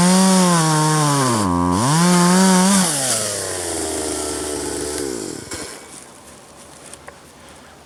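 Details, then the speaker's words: 1997 Poulan 2150 two-stroke chainsaw, about 23 years old, cutting box elder tops with a dull chain: revs high, bogs smoothly in the cut, recovers cleanly, winds down to idle; healthy, chain needs sharpening. "that's pretty good actually i could look you can definitely tell it's lighter than the other one i think if i uh sharpen the chain a little better i would be pretty happy with how it works"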